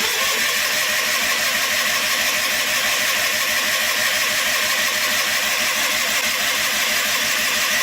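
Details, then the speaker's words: John Deere 316 lawn tractor, cold start after sitting about three months with gas in the tank; owner suspects it isn't getting fuel. Steady fast cranking, about three turns a second for eight seconds, spins freely but never fires: cranks, no start. "No. Wow. She's really being stubborn."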